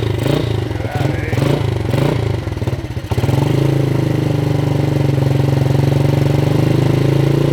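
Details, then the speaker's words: 1977 Honda CT 125 motorcycle given free by its previous owner, who says it runs good: engine blips a few times, then settles into a steady, even single-cylinder thump with no knocks or misses; runs healthy. "I gave it to him. Free. And it runs good."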